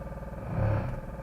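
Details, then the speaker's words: Coda electric car jump-started from a 12 V battery, ready light on with coolant warning and red vehicle fault, in gear but not moving: steady low electric hum with pulsing buzz; three-phase motor leads reinstalled swapped at the inverter. "the three-phase leads going to the motor that bolts onto the top of the inverter here when I took them off I forgot to mark which one goes where"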